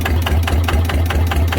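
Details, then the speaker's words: Used single-cylinder diesel tractor engine being checked before purchase: even idle, about five steady thumps a second, no balancer-weight knock or gear rattle, only fan noise; normal idle, no problem. "นี้ไม่ได้มีปัญหาอะไรเนาะถ้าเกิดว่ามันมีถ่วงดังนะครับเสียงลูกถ่วงแล้วจะฟังออกชัดเจนนะแล้วก็เสียงพัดลมนะเราใช้งานไปก็จะไม่มีปัญหาอะไรนะครับ"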